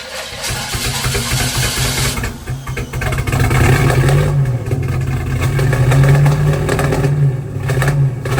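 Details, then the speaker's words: Budget 283 small-block Chevy swapped into a 1985 Oldsmobile Cutlass with fresh exhaust, just started: uneven, lumpy idle that skips now and then and hesitates to pick up; sounds like a miss. Late timing blamed for earlier backfiring, then advanced. "so it definitely sound like it was missing though and there's a few times where I noticed it as well where it just kind of seemed like it didn't want to pick up"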